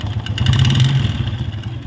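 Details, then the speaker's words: 2017-2018 Honda Wave 110i (K03 engine), loud aftermarket exhaust, white smoke from tailpipe, running: loud, rough mechanical clatter from piston seized after owner ran it dry of engine oil. "เพราะว่าเจ้าของรถขับน้ำมันเครื่องแห้งแล้วลูกสูบติดนะครับผมพยายามเตือนอยู่หลายรอบ"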